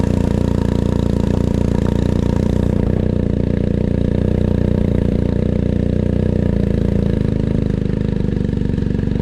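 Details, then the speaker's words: BMW R1250GSA started after oil and filter change to circulate oil through the empty new filter: engine catches and settles into a smooth, even idle with no knocks or rattles; healthy. "So what we need to do is switch it on, let the oil run through the engine, through the filter, and then check where it is on the dial."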